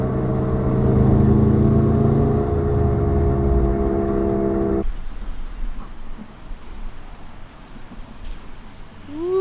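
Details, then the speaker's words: Subaru GC8 rear wheel bearing: steady low droning roar while coasting in neutral, not from engine revs, then fades; worn rear wheel bearing, replaced on-car with slide hammer. "is that a lion or a wheel bearing that thing is roaring i'm not even revving the car right now i'm in neutral i'm just coasting"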